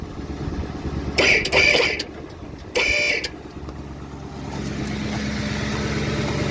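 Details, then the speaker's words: Body-swapped 1981 Ford F-150 on a 2010 Crown Victoria P71 Interceptor chassis, idling after power steering line replacement and bleeding (air in system suspected, pump possibly damaged from running low): even, smooth hum, steering now quiet without whine, running really well. "Running really well. Fluid seems pretty good."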